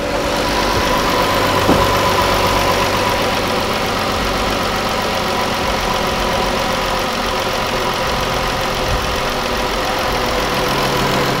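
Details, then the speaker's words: 2012 Dodge Caravan/Chrysler Town & Country 3.6L V6 with a customer misfire complaint: uneven, lumpy running with an irregular stumble. A multiple-cylinder misfire code is stored, and the cranking sound suggests a compression problem, not yet confirmed. "고객 불만이 실화로 당신도 크랭크 소리가 어떤지 들었지 않습니까 나의 견해는 말할 나위 없이 압축 문제인 겁니다"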